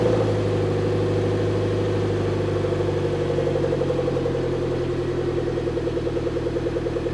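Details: Suzuki Jimny after replacing the blown rear back box with a new standard one: steady, even idle with a soft, regular exhaust beat and no rasp, blow or rattle. It sounds like stock.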